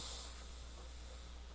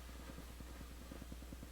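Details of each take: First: Sony cassette radio used as control unit beside a returned Crown CSC-850F, on tape at full volume: faint steady hiss over low hum, no crackle or static; normal background hiss, silent when stopped. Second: Returned Crown CSC-850F amplifier/cassette radio at full volume in tape mode: quiet hum with fast, even crackling ticks where only hiss should be heard; owner suspects a dirty recording-bar switch needing cleaning, unconfirmed.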